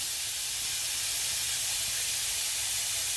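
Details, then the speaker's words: 1/2-inch copper 90-degree elbow leaking at about 110 PSI with a failed pressure reducing valve; a loud, steady high-pressure water hiss like a river as it sprays. "All I can tell you is that doesn't sound good. Wow. It's even louder over here. Holy mackerel. That is super loud, dude. That sounds like a river."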